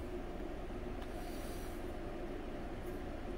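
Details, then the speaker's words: RC boat (Blackjack 24) motor after sinking at a pond: it spins with an even, steady mid-pitched hum and no rasp or catch after the bearing is oiled. The rear bearing runs smooth; the front one is rougher. "that was nice but a smooth yeah that one's good that one's good"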